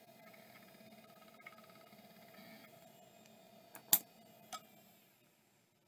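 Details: Western Digital Caviar drive, one of five on test: faint steady high hum with soft ticking, then handling clicks; spins up and runs normally, judged good.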